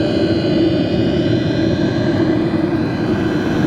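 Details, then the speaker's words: Two Track Nation Hot Box camper diesel heater at full operation drawing about 30 W, which should drop near the set temperature: a steady loud rush of air over a constant hum with no surging or rattling; normal full-speed fan. "so this is full operation right here this guy is running sucking about 30 WS of power right now which should drop down considerably again once the temperature is established"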